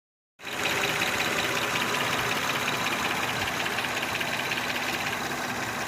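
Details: Honda Odyssey petrol engine idling with a loud, steady knock, about three beats a second, over metallic clatter; noise began about 3 years ago and keeps getting louder; owner may try adjusting valves; cause unconfirmed.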